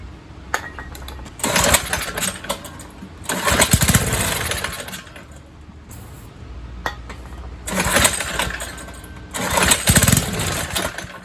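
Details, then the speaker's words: 1970s MTD Mud Bug trike with a replacement John Deere engine (believed 5 hp), unused 5–10 years: fires on carb cleaner spray into a ragged second-long run, then dies repeatedly; the carburetor isn't drawing fuel. "Running off the spray."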